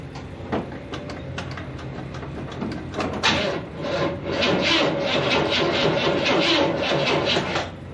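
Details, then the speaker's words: 1979 Chevy C10 found abandoned in a storage unit, booster pack attached; sluggish, uneven cranking at about two and a half turns a second that never catches, because the battery is too weak. "she's turning over battery is a little weak"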